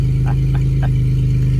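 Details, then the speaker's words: 2001 Chevy Impala, 3800 Series II V6, 142,407 miles, at idle: loud, deep, throaty drone with strong exhaust pulses because the catalytic converter was cut out and replaced with flex pipe. "as you can hear it's loud i have removed the cadillac converter"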